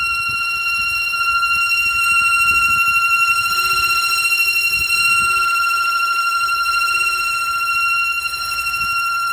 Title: 2007 Audi A3 8P Failed PCV valve, you can here wheezing/whining sound common problem on VW and Audi.